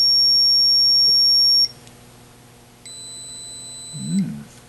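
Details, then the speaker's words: 1980 Atari Missile Command arcade PCB, logic probe on ground and 5 volts: flat unbroken high tone then another steady tone, never pulsing; no clock signal reaching the 6502 CPU. "um oh boy guys we got no clocks do we look here notice anything"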